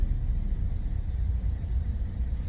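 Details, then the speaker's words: 2008 Opel Zafira B 1.8 petrol, raised front wheel spun in gear: deep, steady droning hum, no clicks, only on right side, none on left, felt in steering wheel; worn front right hub bearing. "Я же говорил правый а слева так Не гудит только справа Да Точно Да да Во он прямо в руль отдаёт"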